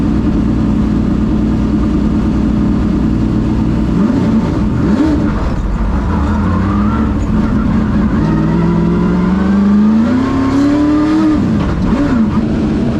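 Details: Ford Thunderbird NASCAR stock car (Hooters) on test drive after reinstalling the starter and re-gasketing/tightening the headers: loud V8 pulling cleanly through the gears, pitch climbing smoothly and dropping on shifts without misses; runs great, plenty of power.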